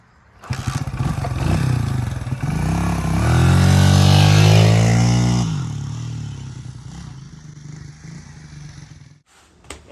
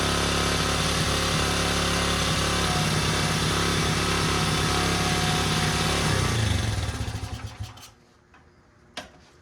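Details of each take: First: 1977 Honda XL75 single, revived after long storage with minor fixes: revs smoothly to a peak, settles to even idle, no knocks or misses; runs healthy, though it smells gassy and owner thinks the carb may need rebuilding. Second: 1977 Honda XL75 single-cylinder dirt bike just revived, running on choke: pops along at a fast steady beat with no throttle response, then fades and dies; throttle bunged up and sticking, slight seepage at float bowl.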